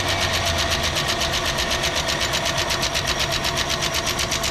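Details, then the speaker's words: 1967 Ford Galaxie 500, 289 V8, first start after top-end rebuild, rocker arms not yet adjusted: sharp, even ticking about four times a second over the idle. Valve lash chatter from unadjusted rocker clearance. "think it's got a little valve noise. Just clapping for all of our hard work."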